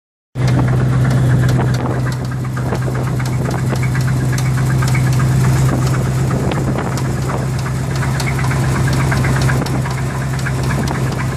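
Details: 1985 Chevrolet Silverado K10 pickup, 305 V8, third engine: irregular knocking, about four per second, over a heavy V8 idle rumble; internal engine knock, source still undiagnosed.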